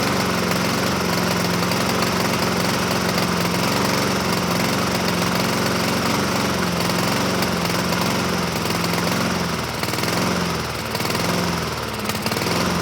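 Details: 2007 Honda HRR2162SDA Quadra Cut mower, after a stuck-open intake valve was fixed, started on choke but surges: single-cylinder engine rises and falls roughly once a second, never steady. Owner may re-clean the carburetor.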